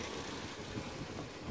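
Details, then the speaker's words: Damaged car just bought at a Copart salvage auction as a rebuild project (not a Jeep Rubicon), engine idling and said to sound good: steady, even idle with no knocks, ticks or misses under background noise. Normal idle. "the engine is on sounds good"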